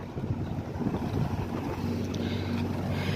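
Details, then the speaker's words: LG 1.5-ton split AC (model S18) outdoor unit, slow fan motor fixed: steady low hum, even fan drone under wind noise, no rattles; fan motor now runs properly, pressure 50 normal. "तो यह देखिए। इसका fan motor बिल्कुल एकदम अच्छी तरह से काम कर रहा"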